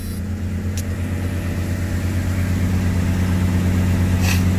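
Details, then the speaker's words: 1982 Ford Granada, cold at about 25°F, just started after a carburetor rebuild; steady, even low rumble with a regular pulse, no knocks or misses, healthy cold idle on choke; some noise possibly from the air pump. "Oh, God. Oh, yeah, hell yeah. Sounds like how I expected it to sound."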